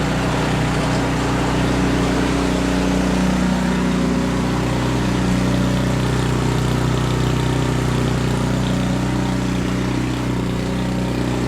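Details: Canadiana snowblower with Briggs & Stratton 800 series engine, restarted after ultrasonic carburetor cleaning and fresh fuel: runs rough, rpm surging up and down every few seconds because it runs lean, confirmed by the spark plug.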